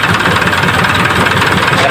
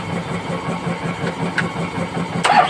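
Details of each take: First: Isuzu 4HL1 diesel after replacing dirty part with new one and cleaning crank sensor: steady, even idle with faint chug, no misses or knocks; now starts and runs cleanly, earlier hard start and rough running fixed. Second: Isuzu 4HL1 diesel, hard starting, after cleaning a sensor and replacing the fuel pump: uneven starter chugging for about five seconds without firing; still long cranking, next step scan.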